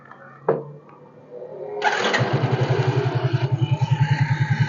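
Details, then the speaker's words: Yamaha X-Ride automatic scooter that lacked power and was hard to start, already fixed with a new spark plug and plug cap, restarted after a part was refitted: a short crank, then an even, steady low putter with no rattle. The sound is improving and the idle is normal. "dan suaranya mulai sedikit enak ya"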